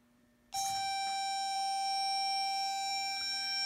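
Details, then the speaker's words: Reverse warning tone on a VEX Hex Bug dump truck, micro:bit/Superbit code controlled via Bluetooth, stays on: one constant high beep holds without pulsing; the program won't turn the alarm off or make it repeat when backing up. "I can't turn that sound off we're making Headway but we've got a problem and we've got to try to figure this out"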